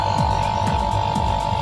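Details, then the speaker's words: Samsung AC outdoor unit after wiring the capacitor and fan motor: a steady low hum with an even fan throb and no rattles; the compressor and fan are running normally with no problem. "இப்போ பாருங்கள், நம்ம run பண்ணியிருக்கோம். கனெக்ஷன்லாம் கொடுத்து ரன்னாகி ஓடிக்கொண்டு உள்ளது."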